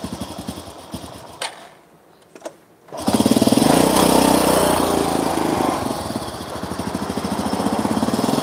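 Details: Honda Supra motorcycle after engine rebuild, spark plug found not tightened: lumpy, stumbling single-cylinder running that picks up into a rough, wavering, popping rev; unstable running, carburettor flooding.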